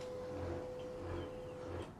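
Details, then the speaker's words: Canon 2900 laser printer starting up with no cartridge (no load): steady hum with a rough, rhythmic low "gru gru" grinding from worn drive gears; the fix is usually replacing the double-layer middle sprocket. "You hear the sound of the machine running gru gru gru, the sound is very annoying."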